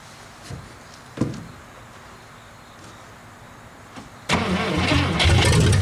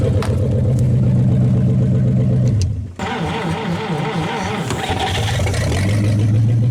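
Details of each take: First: 1956 Studebaker Golden Hawk, first start in 50 years: a few clicks then steady fast cranking at about three and a half turns a second with no catch; fuel not yet primed, gas added until it runs. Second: 1956 Studebaker Golden Hawk at its first start in 50 years, deep idle, a brief dip, then clean revs and back to a steady lope; carburetor and fuel pump good, with only fine tuning needed.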